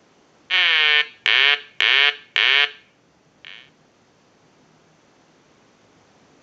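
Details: Telemania duck telephone after repair and conversion, ringer switched from piezo buzzer to installed quacking sound, ring cycle sent from line analyzer: four loud nasal quacking bursts about half a second each, then a faint fifth; eyes light, rings properly.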